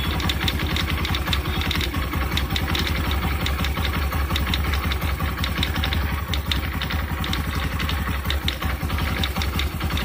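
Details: Scooter engine, Honda Activa 125 (new), busy uneven rattle over the low idle thrum; bearing issue suspected, not confirmed; abnormal engine noise.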